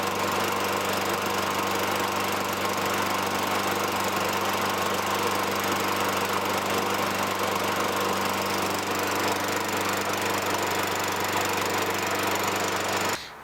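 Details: 2003 Toro Recycler 20016 with Tecumseh 6.5 engine, a trash find, runs after carb cleaning and removing debris from the gas tank. It holds a steady, even drone at constant speed until shut off. Light smoke fades; there could be a minor leak.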